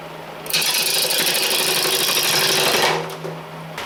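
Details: Powermatic 2014 lathe at about 800 rpm rough-turning, before stuffing styrofoam into the legs: harsh, tinny buzzing rattle as the tool bites, the sheet-metal leg stand resonating with the cut.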